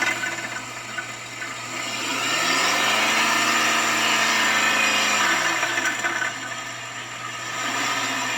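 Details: Knocking noise on an Acadia engine: steady fast knock of three to four beats a second over the running engine; owner asks whether the catalytic converter interior broke into pieces, cause unconfirmed.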